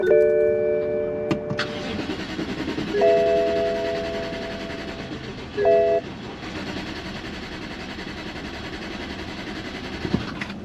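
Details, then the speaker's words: BMW 550i twin-turbo V8 bought non-running at auction, cranked on a jump starter: starter spins it at an even steady rhythm with no firing; crank no-start. "it's not starting, but [music] it sounds so darn good. I hope I don't regret saying this, but it just sounds so darn even."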